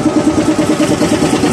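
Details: SDLG loader diesel engine at loud idle, troubleshooting an engine knock without opening the engine: sharp, evenly spaced knocks about nine per second, source not yet found.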